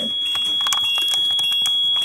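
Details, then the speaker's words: RV with hydraulic leveling system, parked with jacks down, ignition on and parking brake released: steady high-pitched buzzer with lights flashing over cabin clatter. Jacks-down warning alarm, which also sounds over bumps when pump fluid is low. "you will see all these lights flashing and then you hear the the buzzing the beeping it's just going to go crazy like that that's what will happen when you hit a bump or a dip"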